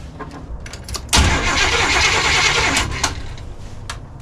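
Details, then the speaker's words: 1986 Chevy G20 van that sat five years, cranking with no spark: an even steady crank, about three to four beats a second, never catching; owner suspects no power to the ignition coil. "So right now I'm not getting any spark, so I've got to see if I'm getting any power to the ignition coil here, which I'm betting you is probably what it is."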